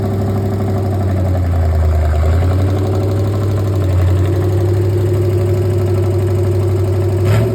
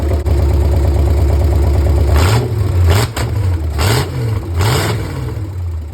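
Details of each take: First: 1964 Chevy 283 V8 in a 1981 Jeep CJ-5, first start after a budget build, choke kicked down manually: an uneven idle with a light, fast tick about four a second; suspected loose valve lash, rocker arms may need adjusting. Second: 1964 Chevy 283 V8 DIY rebuild in a 1981 Jeep CJ-5, first runs, open exhaust, 40 psi oil pressure at idle; deep burble climbing cleanly through quick throttle blips and settling to steady idle, slight flat spot suspected on opening. Normal revving.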